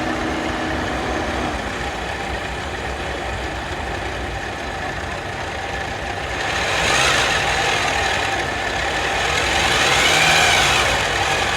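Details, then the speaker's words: Toyota Raford engine idling with a faint whine climbing in pitch when revved lightly, from the alternator; owner thought it was the battery. "ese sonido que hace el alternador"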